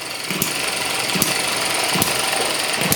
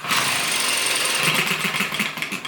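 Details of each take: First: ET6 model hit and miss engine from Banggood on fuel with two-stroke oil, running after the HT lead problem was sorted: sharp regular firing bangs a bit over one per second, clean gaps, no stumbling; normal hit and miss running. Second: ET6 model hit and miss engine from Banggood, start attempt: light rapid ticking that slows and fades with no firing beat; won't catch, owner also suspects sensitive carburettor.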